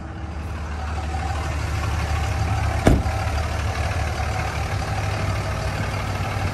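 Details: 2003 Dodge Ram 2500 Sport 4x4 with a 5.9 Cummins common-rail diesel, 85,668 miles. At start-up a deep, steady diesel rumble settles into an even idle after one brief clack, with no knocking or hunting. It sounds healthy.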